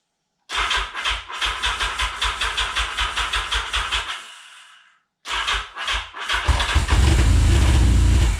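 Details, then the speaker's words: 1979 Yamaha XS11 Special motorcycle started on a jump pack after a weak battery: rapid cranking, a pause, then it catches into a rough rumble with a slight uneven skip. It fires on all cylinders but has a slight misfire. "it runs i better turn these off and it fires on all cylinders sounds like it's skipping a little bit but it runs"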